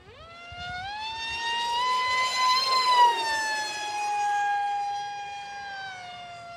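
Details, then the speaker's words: ZOHD Alpha Strike 620 mm RC plane on a 4S LiPo in flight at 100% throttle: piercing tone climbs, holds high and loud, then eases back; a fairly inefficient prop is suspected. "that's 100 throttle man that thing just screams figuratively and literally"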